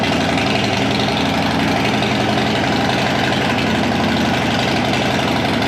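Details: Police Harley Road King converted to sport tourer, freshly built, first test start with new pipe, untuned: steady even V-twin idle with loping beat, no knock or tick.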